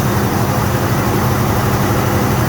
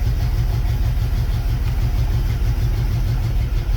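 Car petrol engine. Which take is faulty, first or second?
second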